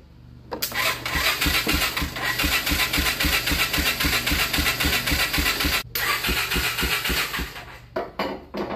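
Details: ATV crank-no-start diagnosis with starting fluid sprayed, choke off, throttle wide open: steady cranking at roughly four strokes a second, never firing or catching; no change, cranks but won't start.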